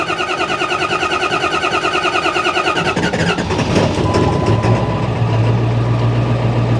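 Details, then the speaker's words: Ford 7.3 Powerstroke diesel after fitting new high-pressure oil lines, including the crossover line under the turbo, with the intake refitted: steady, even idle with a low drone and no misses or knocks, and no fresh leaks. "so i'll let it run for a little bit move the truck over here i don't see anything leaking fresh anyway"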